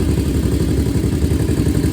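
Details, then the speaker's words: 2001 Honda TRX400 single-cylinder after valve adjustment to spec, carb swap/clean and tune-up, previously ticking: steady even thumping idle with no ticks or knocks; sounds healthy. "I don't know, it sounds good. It sounds like it got the V-Touch to me now."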